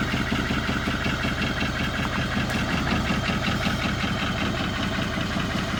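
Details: 2020 Chevrolet Silverado with an L5P Duramax diesel, due for an engine swap, run with no coolant to back it into the shop. Rough, loud idle with a steady knock of two to three a second throughout; badly damaged engine.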